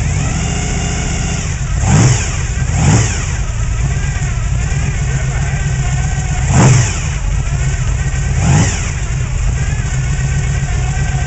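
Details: '95 Chevrolet Silverado 454 V8, Gen 5, gear-drive timing, high-lift short-duration hydraulic cam, otherwise stock: four quick throttle blips rising and falling back to a rumbling idle; tired low-compression engine.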